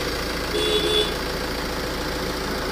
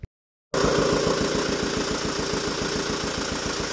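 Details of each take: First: Tata Safari Dicor diesel idling steady and even, with no knocks or misses, after repair; the earlier loud noise came from timing belt timing variation, now corrected with the belt seated properly. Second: Tata Safari Dicor diesel after major service, started by mistake without engine oil and slightly wrong timing belt; five rocker arms broke. Hard regular clacking about 3.5 per second over rough idle, metal slapping in top end.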